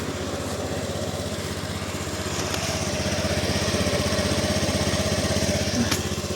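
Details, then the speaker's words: Used single-cylinder motorcycle for sale, about 52,000 km, broken centre stand, everything else working: small steady putter at idle of about four beats a second, even and smooth with no knocking or rattle; engine described as smooth. "Dan untuk kilometernya sendiri itu sekitar Rp52.000. Nah, mesinnya juga halus ya."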